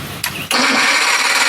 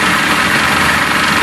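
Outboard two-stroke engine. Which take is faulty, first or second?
first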